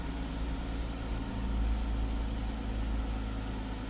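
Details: 2012+ Chrysler 300 started after getting a good crank sensor wire connection by wiggling it and clearing multiple codes. Smooth, even low idle with a steady hum and no misses, knocks or stumbles; engine running normally.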